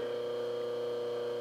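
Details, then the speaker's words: Restored Jenny fan motor reassembled, run without fan blades fitted: steady, even hum with clean constant tone and no knocks, rubs or rattles; sounds much different from another one, running smooth and healthy. "it sounds pretty smooth short of sound a lot different than that one over there"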